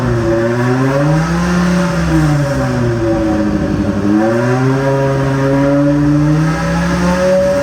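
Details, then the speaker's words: BMW M3 V10 swap with new 10-into-1 headers and 5-exit exhaust: loud fast idle at 2,200 rpm, revs swing up and back smoothly; high idle, owner suspects idle not yet set up; rattle suspected at crossmember, coolant climbing without fans. "it was idling at 2,200 RPM for some reason which might just be because we haven't got the idle setup and we actually didn't notice that before because it was making so much noise"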